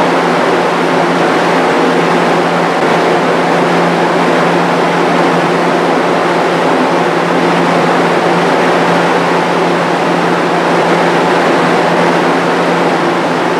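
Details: Restored, powder-coated Jenny fan with a variable-speed-capable motor, running while sitting on wooden blocks: an even low hum and constant air whoosh with no vibration, wobble or rattle; normal running.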